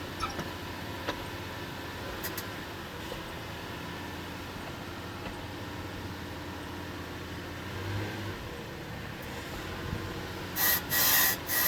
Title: Lexus is300 squeaking noise